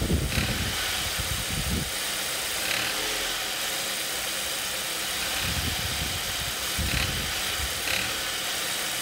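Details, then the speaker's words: Ford Duratec HE engine, about 1,000 km after replacing the accessory belt, idler and tensioner pulleys: heavy, uneven knocking bursts at certain revs and loads, heard in cabin and outside, sounding like rod knock but traced to the accessory belt drive. "now you can hear this in the cabin while driving and certainly outside the car and it sounds pretty bad and you know you start thinking rod KN something internal to the engine um but I also knew it had started after I replaced the accessory belt so that's suspicious isn't it"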